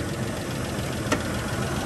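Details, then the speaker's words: Original-looking 3.2 L timing-belt V6 Isuzu Rodeo at idle: faint light tick-tick-tick from the top end, likely lifter noise, that goes away as revs rise; owner suggests an engine flush and fresh oil may help. "you can hear a little bit of maybe lifter noise just a little bit of tick tick tick in the top end"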